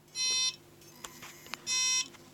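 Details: Seagate Barracuda LP ST2000DL03 desktop drive, failed after four to five years; head assembly and board swapped from a donor, still failing: two short high beeps with faint ticks as heads move back and forth on spin-up.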